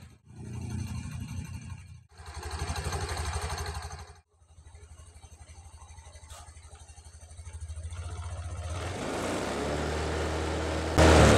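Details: 2021 Honda Beat scooter, CVT cover closed after fitting a non-genuine replacement part to cure rough CVT noise: short blips, then an even idle and a smooth rev rise with no rough grinding from the belt drive.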